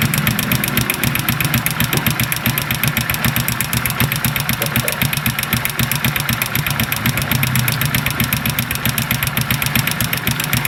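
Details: Honda XRM 125 small single-cylinder engine before an overhaul, idling and revving with a loud, rapid mechanical clatter over the exhaust, far noisier than normal; source not yet pinned down.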